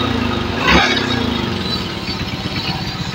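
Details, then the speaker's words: Shogun 110 single that had lost ignition and charging: CDI judged fine, stator to be rewound. With the broken wire hooked to a good battery, it fires right up and runs with an even, steady putter and no misses. "Oke ternyata langsung menyala Mas ya ternyata motor langsung menyala ini sudah nyala ya"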